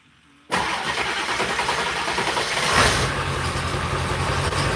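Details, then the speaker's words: 2001 Ford F250 7.3L diesel with a 12.8 V battery gauge reading cranks sluggishly for about two seconds after glow plug pre-warm, then starts into a rough idle. The air conditioning compressor pulley is noisy once running. "It doesn't crank fast. So, we need the glow plugs to pre-warm it to make up for the slow crank. So, you'll hear the speed of our crank, and it's going to not be as cranky happy as we'd like."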